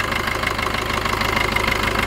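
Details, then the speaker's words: Maruti Vitara Brezza diesel, restarted after its EGR valve was cleaned: steady idle with an even quick clatter and no extra noises, smoother than before; normal idle. "मैं ये सब एकदम normal भर कर रहा है engine में कोई एक्स्ट्रा की आवाज भी नहीं आ रही है"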